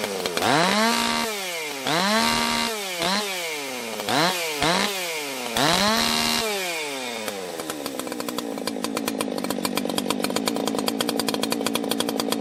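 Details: 1980s Husqvarna 281 chainsaw, warmed up and restarted without fast idle: several crisp blips rising and falling cleanly, then a steady, even high-speed run with no popping or stumble; normal running.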